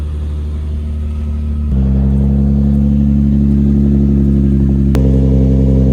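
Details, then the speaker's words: 2004 Nissan 350Z after oil catch can install, stock cats with Motordyne exhaust: smooth, deep exhaust note stepping up cleanly twice as throttle opens, no knocks or rattles; normal revving, healthy engine. "So yeah, that's how it sounds. It sounds pretty amazing."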